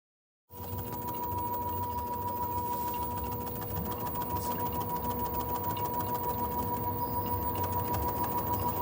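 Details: LG front-loader washer during spin: steady whine with a regular thump about 200 times a minute as the tub bangs around; tub damper is broken.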